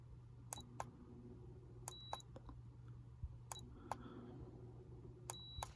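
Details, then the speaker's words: Woozoo fan button clicks, each followed by a faint thin high beep over low fan hum, after tissue paper was pushed into the beeper's metal plate to muffle it. "grab a little bit of tissue paper and shove it into the little metal plate that's in there to help muffle it"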